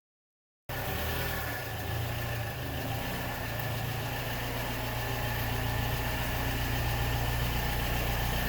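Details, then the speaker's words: 2007 Mini Cooper R56, after spark plug replacement: steady idle with diesel-like ticking clatter over a low even hum; owner concluded this is normal for this generation's engine. "i feel the concerns i had ended up being normal for this generation of mini so that's all i want to talk about first so basically i had a concern with the engine noise um apparently these things are supposed"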